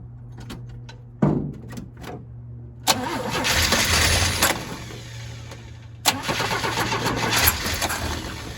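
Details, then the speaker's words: Old Chevy truck with straight-six and one-barrel carb, unprimed fuel system with dry filter, fed from a gas can, ran last week: clicks, short crank that catches, runs, sags, then cranks and catches again; hard starting, always a little cold-blooded. "Yeah, this one's always been a little cold-blooded. But that's just how some of these old trucks are."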